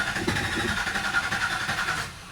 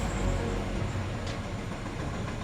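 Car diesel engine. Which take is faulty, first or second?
first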